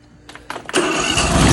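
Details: 22 HP lawnmower engine revived after flooding with brackish salt water, freed with oil and WD40, water coming out the exhaust while cranking: a couple of rough sputters, then it catches and settles into a steady, even run. Normal running.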